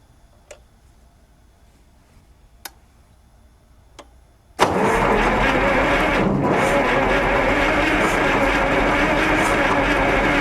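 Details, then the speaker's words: 884 cubic inch V8 Onan 140 generator on gas feed, first test run: the starter cranks steadily for six seconds with almost 20 psi oil pressure but no fire. It slows when trying to fire, and timing is suspected to be set too early. "almost 20 lbs of oil pressure that's good no fire though well I know the timing might be set a little early cuz it when it tries to fire I can hear it slow down"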